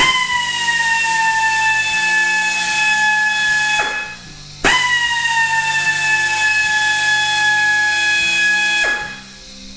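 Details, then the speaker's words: Central Pneumatic (Harbor Freight) economy 90-degree air drill with air pressure raised from 105 to 125 psi: two strong bursts of steady high air-motor whine holding pitch; runs happier at higher pressure. "it's quite a bit happier so if you have a smaller air compressor you can still get by uh using the drill with a smaller one you'll just have to turn the air pressure up just a little bit to kind of keep it keep that momentum"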